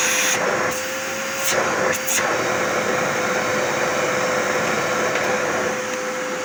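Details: Zanussi 2100 W vacuum cleaner running after repair and reassembly: steady, even motor roar with a constant high whistle, no rattles or surging; works normally.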